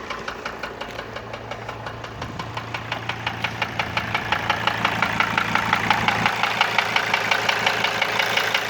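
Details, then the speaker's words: Mercedes W210 with a 2.7 CDI diesel: sharp, even knocks almost three per second at idle, growing louder as it runs, with normal engine temperature; the knock persists after replacing hydraulic lifters and injectors, cause unknown. "здрасте подскажите меня mersedes w210 двигатель 2 и 7 cd и что-то стучит уже поменял гидрокомпенсаторы форсунки но стук так и не прошёл"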